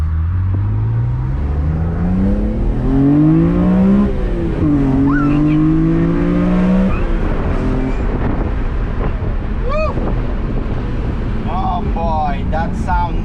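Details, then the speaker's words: BMW E46 M3 straight-six with new rockers and 272/280 CatCams, on its first full rev-out after a 1200-mile break-in kept under about 5000 rpm; valve cover check found no damage. Clean, crisp revs rising and falling smoothly with no ticking or knocking. Healthy engine. "gets old it just proves that you can't drive this car revving to like four and a half five thousand rpms you gotta you gotta you know rev it all the way out otherwise it just it just doesn't do it it's amazing incredible"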